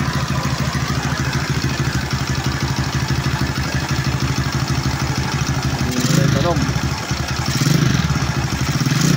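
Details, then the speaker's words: Honda Wave 125 S single-cylinder after suspected timing chain or rocker arm noise: steady, even idle with smooth low thump, no ticking or clatter on top; engine now sounds healthy. "Yan na guys, maganda na tunog."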